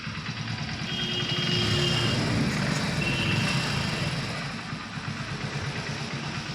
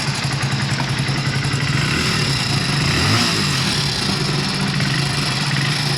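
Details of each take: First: Hero Splendor BS6 motorcycle after new timing chain fitted: small engine idles with a steady, even low thump and no rattle or tapping, timing chain noise gone. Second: Hero Splendor BS6 single-cylinder engine at idle with a loud metallic clatter over its thump from the timing chain, before removing the magnet cover to replace it; timing chain rattle.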